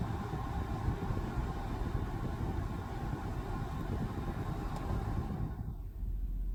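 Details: Steady, even rush of air from the blower motor of a W221 Mercedes S550 4Matic at constant speed, no rattle or squeal, then winding down; it was reconnected after cleaning for intermittent no-airflow and is blowing for now.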